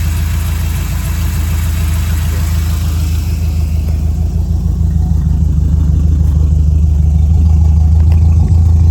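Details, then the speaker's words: 1968 Camaro V8 idle after new spark plugs, new spark wires, coolant refill and carburetor tuning (springs and metering changed): deep, even rumble, no misses, rising slightly at end; much better than before. "Oh yeah, listen to that. That's much better than it was before."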